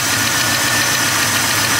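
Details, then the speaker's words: 1973 Impala with a small-block Chevy 406 V8 and ceramic-coated headers, idling: sharp, fast metallic ticking over the idle that grows progressively louder. Rocker arm noise is suspected, not confirmed, and the valve cover is to be removed once cooled. "So you can hear that tapping noise right there. Kind of get progressively louder and louder."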